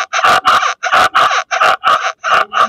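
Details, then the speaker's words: Rear suspension bounced with chassis ear microphones; channel three, clamped on the left trailing arm, is loudest: sharp mid-pitched squeak about twice a second with each bounce; left trailing arm bushing squeak. "Three is the left trailing arm bushing, so let's go ahead back up and we'll look at that."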